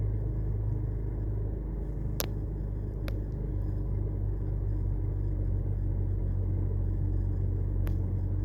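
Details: BMW 325i N52 at idle after plugs, coils, VANOS solenoids, gaskets, DISA valves, MAF, injector cleaning and an oil service; a steady low rumble with no stumble or surging, just a couple of sharp clicks, idling evenly.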